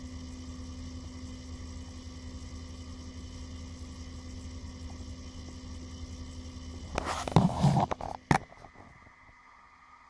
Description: It's fairly loud, electric buzz as if hard drive was spinning in turbo mode even when the console is idle (phone doesn't capture the sound from a distance).